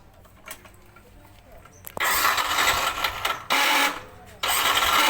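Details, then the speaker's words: Yamaha NMAX starter complaint: three loud, harsh cranking bursts with a rough grinding whirr; the starter motor (dinamo starter) has a worn bushing and brushes. "Oke bisa didengar bunyi starternya sangat kasar jadi ini kita cek dulu bagian dinamo starternya"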